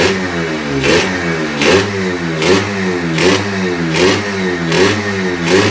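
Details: Freshly rebuilt Yamaha RXZ 135 two-stroke, throttle held back while new (needs 1500–2000 km to bed in): crisp blips about one a second, rising and falling cleanly, no knocks or rattles; healthy.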